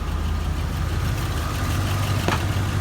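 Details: 1992 Ford F150 after new Spectra fuel pump install, owner thinks it may need a new air filter: low, even rumble at a steady idle with no misses, knocks or stalling; normal idle.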